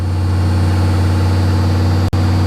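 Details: 1982 Chevy Camaro Z28 Crossfire injection V8, 134,000 miles, just fired up: steady, even V8 idle held high at about 1,800–2,100 rpm, later dropping to about 1,800; a high idle after starting.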